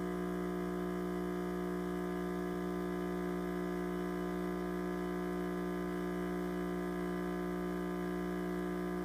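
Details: Breville Dual Boiler espresso machine, six months old, pressure still good: steady, loud electrical buzz with a rich stack of tones, unchanged throughout; owner fears it is failing.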